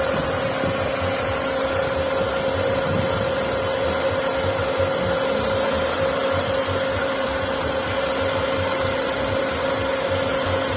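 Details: Hyundai Santro 1.1-litre engine at idle; steady mid-pitched whine over the engine note, source unclear: engine noise.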